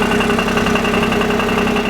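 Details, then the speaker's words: Smart car at steady idle with a rapid, loose rattling knock, also present before the engine runs, coming from between engine and gearbox; online research later pointed to the clutch pressure plate coming away from its rivets. "this is a smart car that Joe from shift and metal give us on the basis that the engine was knocking hear that"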